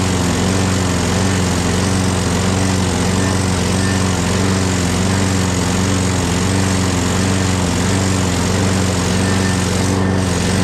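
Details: Craftsman 6.5HP Briggs Quantum FWD mower after magneto replacement and carb clean, primed and electric-started: steady, even speed, no hunting or surging, running on its own. Owner notes an unexplained clanking and priming needed each start.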